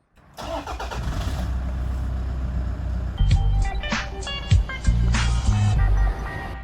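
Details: Toyota Land Cruiser Prado 120 with a 1KD-FTV 3.0 L diesel, idling after exhaust gasket replacement with bolts torqued to 43 Nm: steady, even diesel clatter with no whistle or squeal, so the exhaust leak is fixed and the idle is normal.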